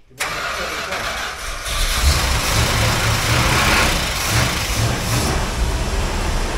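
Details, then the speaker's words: 1970 Plymouth 'Cuda 383 four-speed, not driven daily, brought in because it won't start; spark and fuel confirmed, possibly flooded, maybe needs more fuel: short crank, then catches into a lumpy, uneven idle. Hard starting, cause unconfirmed, plugs long unreplaced. "so it's probably flooded so we got a spark we got fuel is it flooded I don't know I'm going to crank a bit more and see what happens maybe need more fuel"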